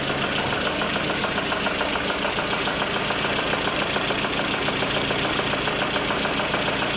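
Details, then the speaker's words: VAZ Lada Kalina running with a rapid ticking knock about two per second under a harsh metallic rasp; suspected weak fuel pump or clogged fuel filter, knock source not pinned down. "Звуки страшные. Так, ну явно, что или насос не докачивает, или топливный фильтр нужно поменять."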